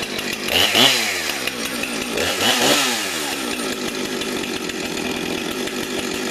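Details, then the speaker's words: Husqvarna 455 chainsaw, almost 5 years old, on its original chain sharpened once: revs up twice with a crisp, clean rise and fall, then settles into a steady high buzz. A healthy, strong runner. "it's a good runner but I had that Fame for about almost 5 years it was 5 years old but still still looking brand new"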